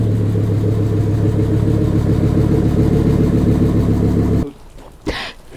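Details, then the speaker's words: Cheap USA-import 1990s turbocharged Volvo 850R project car running: deep, very loud, steady rumble with an even beat, then the engine shuts off. Runs fine, just a very loud exhaust. "Just wanted to let you hear it run. It's super loud, but it's running, so that's really cool."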